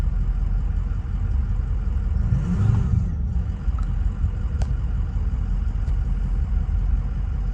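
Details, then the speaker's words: 2005 Ford Excursion Limited 6.0L Powerstroke diesel 2WD, 241k miles, new turbo, 4-inch MBRP turbo-back exhaust, never tuned. Warm idle heard from the cab, a deep even rumble with one quick clean rev that climbs and settles smoothly. Healthy engine. "Guys, this truck sounds phenomenal. Sounds so good. That 4-inch turbo back exhaust and that new turbo sounds really good."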